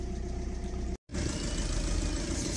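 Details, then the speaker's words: Audi TDI diesel idling right after replacing the intake manifold flap actuator/position sensor (fault P2015), before diagnostic scan: even low diesel clatter with steady rhythm, no stumbles or metallic knocks; normal idle. "donc le véhicule est en train de tourner"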